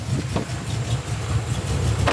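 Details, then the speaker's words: E46 BMW with LS V8 swap, first runs after startup, running a little rich: uneven loping cammed idle with soft quiet exhaust burble and steady low rumble; sounds healthy, normal idle. "it sounds good it smells better within the range of acceptability it sounds healthy"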